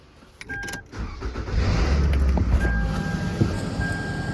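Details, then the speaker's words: Car started in a garage after the exhaust was welded with a flux-core welder: cranks, catches and revs to a loud, even roar with no hissing or puffing; no exhaust leaks, a normal start and rev. "So listen to this. It's kind of loud cuz it's in the garage, but I think that's pretty good."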